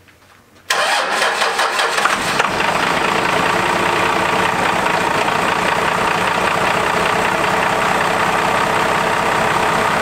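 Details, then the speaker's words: 12-valve Cummins diesel after P-pump reinstalled and injectors done: short crank, quick catch, steady even diesel clatter at idle; no oil leaks seen, starts right up; normal start and idle. "doesn't seem to be any oil leaking i don't see anything and it starts up like right now that's true"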